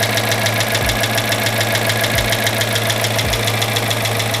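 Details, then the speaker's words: Chrysler 300 with a freshly rebuilt 5.7 Hemi V8 on its first start, with excess fluid smoking off the headers. Fast, light ticking about twice a second rides over a steady idle: heavy lifter tick, expected to go away. "Now you may be able to hear a bit of that lifter clatter happening right now. But overall, seems to be running decent."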